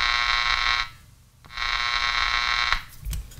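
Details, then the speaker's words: Panasonic Radar Matic wind-up auto-tuning radio receiver, probe bridging the power switch contacts: a loud buzzy tone from the speaker cuts in and out as the radio comes alive, showing the power switch is bad. "we have a bad switch H bad switch"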